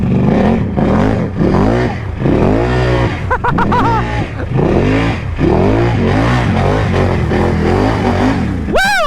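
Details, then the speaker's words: Can-Am Outlander ATV engine running after being submerged in water up to the airbox and having its fuel lines drained: strong, clean revving rising and falling with throttle, no misfire or knock; sounds very healthy under load, smoke unclear. "we're running very very healthy I think it's good I mean it sounds good I don't know if it's smoking any at all"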